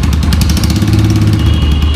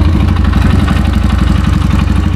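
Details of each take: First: Yamaha YBR 125 ESD single-cylinder engine after full restoration: steady, even thrum at idle with no knocks or misses; normal, healthy idle. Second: 2017 Yamaha YBR 125 engine before full restoration: loud steady clatter over the idle like stones rolling inside the cases, pointing to badly worn internal engine bearings.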